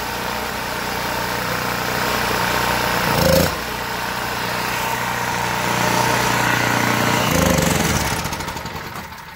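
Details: Generac GP1500 generator after cleaning the gummed-up carburetor to cure surging and no-start: fairly even, steady running note with only brief dips and no hunting; normal steady idle.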